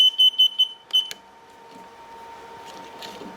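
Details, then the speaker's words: Mobility scooter that won't move though fully charged: controller gives sharp high-pitched beeps, about four quick then another after a gap, flash code 7 indicating a slack connection; a connector is not fully seated. "this off it will start to flash for the slack connections so it's a 7 so it's not fitting on just as good is it which is"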